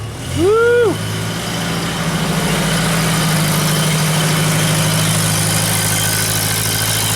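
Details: Genie boom lift after a no-crank no-start fault, with a brand-new starter and a battery sitting almost a week: brief starter whine, then it catches into a steady, even idle with no knocks or misses; a coolant leak is suspected.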